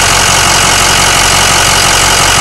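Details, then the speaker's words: Ford 6.0L diesel in new remanufactured longblock with suspected head gasket leak and blow-by: idles with busy even clatter and faint light ticking; owner reports clicking and knocking unheard on other 6.0s, cause not pinned down. "significant clicking and knocking that i can't hear on uh any other 6.0 i'll go ahead and show you uh these symptoms here"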